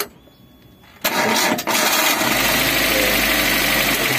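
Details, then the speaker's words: Suzuki APV (G15 engine) that had stalled from a broken timing belt: engine cranks briefly, fires at once and settles into a steady, even idle with no knocks or misses; normal start and idle. "Oke, mesinnya nyala yo, mesin nyala normal."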